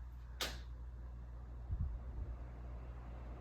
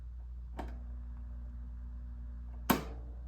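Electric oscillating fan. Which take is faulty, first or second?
second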